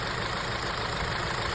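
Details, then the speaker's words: Audi A4 B8 misfire: after cleaning the plugs and swapping coils, the misfire moved from cylinder 1 to cylinder 3. Rough, lumpy idle with an uneven beat and stumbles; owner concludes the ignition coil, though the description later blames a non-original intake. "And then I was like, oh, okay, so my problem is not the spark plug, it's the coil. Ignition coil is the problem."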